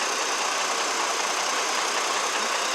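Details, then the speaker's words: 2002 GMC Envoy 4.2 petrol six-cylinder, previously with a hard cylinder 2 misfire at idle, now idles smoothly and evenly with no stumble; misfire data is checked next. "All right, everything's running fine."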